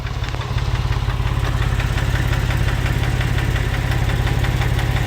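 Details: Porsche 996 911 (2000) that came in with a cylinder 4 misfire: fast, sharp ticking over a low, slightly uneven idle from a faulty hydraulic lifter; fix is replacing lifters.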